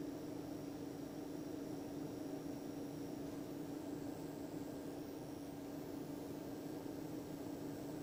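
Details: Anenji ANJ-4000-24V solar inverter running: quiet steady electrical crackle over low hum, near two small transformers; stops with panels disconnected or inverter switched off; owner unsure if defect or grounding/wiring issue.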